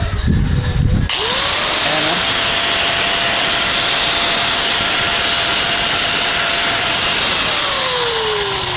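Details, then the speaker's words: INGCO 750 W angle grinder test-run after repair: the motor spins up to a steady, high, clean whine without rattles, then winds down smoothly. The armature is still good, so it is running normally. "okay na okay pa yung kanyang ano, yung kanyang armature, tinis na tinis pa. Tsaka maganda yung andar yung ating grinder."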